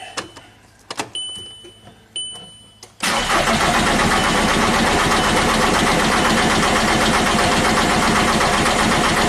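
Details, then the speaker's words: VW Jetta TDI after engine swap, P0341 cam code: starter cranks the diesel steadily at about four beats a second without catching; fuel rail pressure only in the teens psi, leaking fitting, no injector pulse; crank no start. "look at our fuel pressure teen PSI that's it that's not enough"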